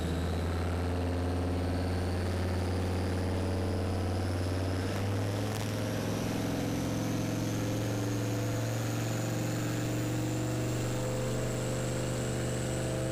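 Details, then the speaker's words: LS turbo-swapped Ford Ranger making a dyno pull in third gear; loud deep engine pulls hard with a rising turbo whistle, then stumbles and the pitch jumps unevenly. Cutting out under load; fueling suspected and possibly running out of turbo at high rpm, not confirmed. "so you can hear it cutting out the fueling is not right something's not right"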